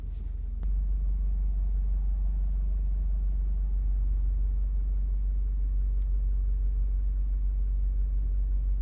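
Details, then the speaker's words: Low, steady rumble heard and felt inside the cabin toward the right/passenger-side engine area of an 8th-gen 1.8L Honda Civic (2006–2011); deep even drone without knocking, vibration felt through dashboard and door, idle RPM normal; engine mount suspected. "however this is different it's more of like a low rumbling noise in the car I can hear from inside the cabin and towards the right side somewhere where the engine would be"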